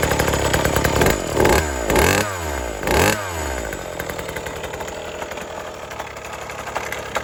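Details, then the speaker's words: 1980s Cruise N Carry outboard after sitting about 20 years and then getting a carb clean and fresh gas. Three quick throttle blips climb cleanly, then the engine settles to an even idle; it runs healthy. "I don't know if you can tell from the video, but when I gave it gas, it spun up just as it should."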